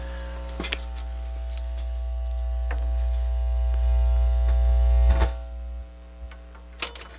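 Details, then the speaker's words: Pioneer QX-747 quadraphonic receiver after restoration, phono stage turned up to about the second notch: loud steady low mains hum, drops when touched, clunk then fades completely once the cover is fitted; poor shielding design. "remember when i said i we had a hum on the phono stage listen to this i got it turned up uh probably to the second notch and it's quite loud"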